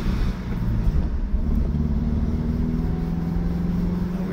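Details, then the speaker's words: 2015 Subaru Crosstrek XV driving over bumps: steady engine and road hum with no clunks, knocks or rattles; suspension sounds quiet and healthy. "away no weird noises coming out of the bumps there"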